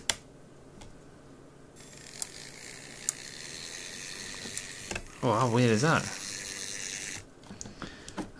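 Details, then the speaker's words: Graham Farish N-gauge GNER HST non-runner: faint irregular clicking over a quiet motor hum with a brief whirring burst, heard in one running direction only; other direction fine, cause not yet found. "so so far we've had dodgy contacts a bent bogey post oh sorry snapped one and for some reason um something's going click click click click which um is odd"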